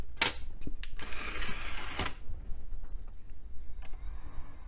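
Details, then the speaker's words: Dell Dimension XPS T500 CD burner, dusty, with a disc inserted. The spindle spins and the head carriage moves, but sharp clicks and buzzy bursts repeat as the head hunts. Optical drive focus-search clicking; it can't get a focus lock, cause unconfirmed. "all right spindle works and it sounds like the head can't get a focus lock oh there it goes Maybe nope never mind it came close"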